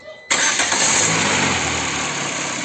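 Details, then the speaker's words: Citroën C4 engine after timing belt and tensioner roller replacement, restarted to check the earlier timing-area noise: catches instantly and settles into a smooth, even idle with no rattle or chirp from the roller; healthy start. "Nous l'avons démarré et nous n'avons pas ce problème avec ce rouleau."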